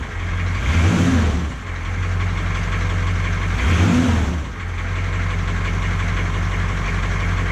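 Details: 1982 K20 Suburban diesel 4WD 3/4 ton, first start after 3+ years sitting, new batteries: a steady idle clatter with two short throttle blips that rise and settle back. It runs with no clear fault; the cause of any issue is suspected, not confirmed.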